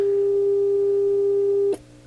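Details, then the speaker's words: Hammond M3 organ amplifier chassis (push-pull 6V6s, 12AU7/12AX7) on the bench with an injected test signal: steady, clean single tone around 400 Hz, no hum, crackle or wavering, then cuts off. Normal amplifier output with test tone. "all right amplifier works"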